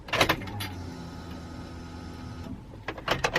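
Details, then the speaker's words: Honda EP3 Civic, key on without starting, after new fuse and repairing a shorted cut wire (rubbing near throttle body); faint steady electric whirr about two seconds between clicks, then stops; fuel pump priming normally. "I've just taken it all apart put a new fuse in and it's now not shorting so I can show you the sound that should be making without starting the color"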